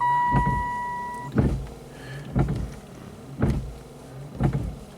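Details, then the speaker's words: Oldsmobile Silhouette at 70°F: in the first delay notch the front wipers sweep steadily about once a second with no pause until the ignition is cycled. Low and high speeds work and the washer has stopped working. The cause is a faulty wiper pulse board. "wipers will just keep going I mean oh it's off right now just keep going going going until you cycle the ignition switch and then they stay off"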